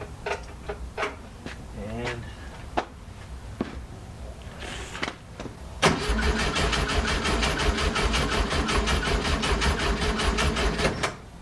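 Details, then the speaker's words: 1967 VW Fastback with fuel shot into the carbs: even rhythmic cranking for several seconds, never catches; no spark, ignition module fried, caused by an extra powered wire hooked to the coil negative side. "well after frying not one not two but three ignition modules i finally figured out what's wrong"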